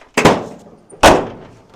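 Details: Squarebody Chevy/CUCV truck door after installing and adjusting a new door striker bolt; two firm, clean thuds with no rattle or rebound as the latch catches the striker squarely and the door closes solidly.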